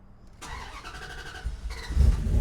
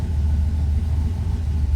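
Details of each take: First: Turbo Dakota V8 on a new Holley EFI, after fixing wiring: engine cranks, catches and settles into a steady even low rumble at idle with no skips, firing on all eight cylinders. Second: Turbo Dodge Dakota, first start on new Holley EFI ECU, coolant not yet warm; fast steady idle that won't settle. Cold-start enrichment keeps idle too high; owner plans to trim fuel from base map.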